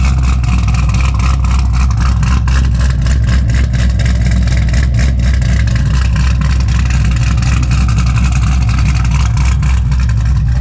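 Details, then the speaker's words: 2006 Corvette Z06 V8, back after severe knocking and a dyno retune; deep, even burble that blips up cleanly and settles, with no tapping or knock, a healthy engine. "No more knocking. Sounds so good, dude."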